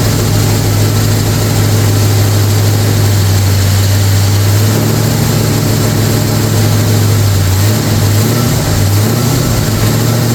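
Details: Brand-new 445 FE V8 in a 1962 Ford Galaxie, first fire-up on 30-weight synthetic break-in oil after priming. It gives a deep, steady rumble with an even idle and no knocks or misses; runs healthy.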